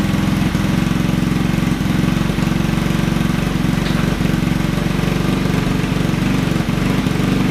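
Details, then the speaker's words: Honda Ruckus scooter with GY6 motor, hard starting; after idle adjustment, steady idle with slight irregular lope and occasional stumble; owner says not perfect until it cycles. "you know I have to go through a little cycle first if it is the Chinese motor so it's not going to be perfect"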